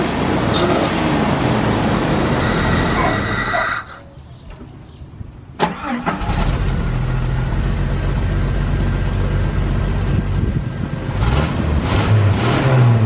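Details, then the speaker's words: Jeep 4.0 the day after fitting a stainless-steel aftermarket header: deep, steady exhaust note, idling evenly and revving cleanly with no ticking or puffing; the exhaust is sealed and healthy. "the next day got the header on sounds great"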